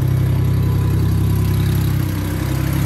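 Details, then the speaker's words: Car that sat about a month with a dead battery, jump-started with an Autowit SuperCap 2 super-capacitor jump starter: an even, low, steady idle with a smooth pulse and no misses or knocks. It runs healthy. "You just jump it, and then it start right away, because this thing no need battery at all. So right now my car is running again with the help of Autowit."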